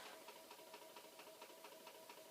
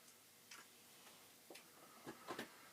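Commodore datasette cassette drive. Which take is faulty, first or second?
first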